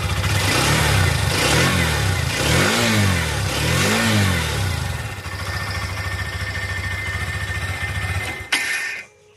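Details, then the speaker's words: Hero XRM 125 motorcycle: starts, blips a few times, revs then sag, and dies after about eight seconds; stalls soon after starting, linked to an oil pump problem. "நான் சொன்னேன் பாத்தீங்க complaint இந்த running of இதுதான். வண்டி start பண்ணாவே கொஞ்ச நேரத்துல dub பண்ண வண்டி ஆஃப் ஆகும்."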